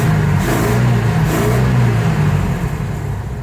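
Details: 1977 Ford F-350 wrecker, 300 straight-six with a rebuilt Carter YFA carburetor, warm with the temperature gauge reading good: it revs up cleanly and drops back smoothly with even firing and no hesitation; runs healthy, though the PTO won't engage.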